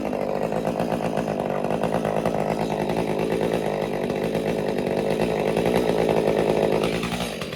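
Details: Stihl MS201TC chainsaw after performance work, idling 30 seconds to tune idle fuel settings: uneven drone, pitch wavering and surging, starting to settle before it dies; cause not yet confirmed.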